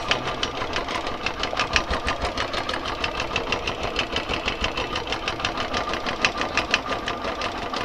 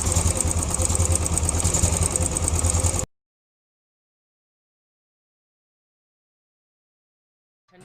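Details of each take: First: Royal Enfield Classic 350 single-cylinder at 17,334 km idling with fast sewing-machine tapping, attributed to worn timing gear and camshaft bushes; worn cam gear to be replaced with original part. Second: Royal Enfield Classic 350, 17,334 km, after tappet and timing gear work: even, steady single-cylinder thump about three beats per second, tappet noise now fully gone, no tapping or clatter; normal idle.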